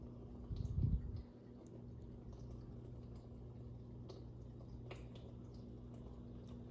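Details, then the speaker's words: Dishwasher on rinse-only cycle after removing a piece of plastic and glass from the wash area and reassembling the strainers and sprayer: even low hum with soft drips, no rattle; the loud humming is gone and it runs normally. "yep there you have it folks operating as it should"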